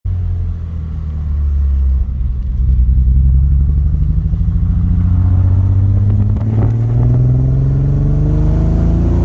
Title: Porsche Boxter S 986 Bad Misfire